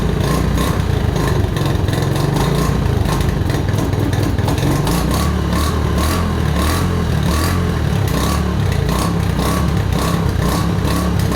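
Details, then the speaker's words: Mojave 250, year unknown, after timing chain replacement: idles loud with loose, uneven chuffing beat and some clatter after earlier backfiring and heavy smoke; feels pretty close, but owners wonder if timing needs adjusting. "smoking a lot off that exhaust it doesn't sound like it's in time right see it backfiring"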